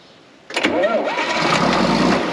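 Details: John Deere 4430 tractor that sat 22 years, started again after adding oil, still leaking diesel; quiet, then engine catches at once and settles into a steady diesel run, ran like it did yesterday.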